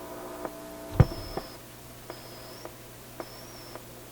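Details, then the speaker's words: Atwater Kent 944 vacuum tube radio after grounding the can, which had been picking up hum: now plays quietly with only faint regular ticks and a soft low background; the loud mains hum is gone. "That sounds a little better, doesn't it? The hum is gone. It's a bigger problem than you might have thought."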